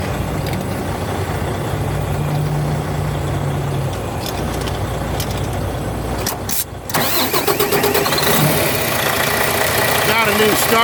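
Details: Semi truck with a new starter fitted: steady diesel rumble, then a brief dip and catch as the starter fights before the engine picks up and runs rougher. Hard starting.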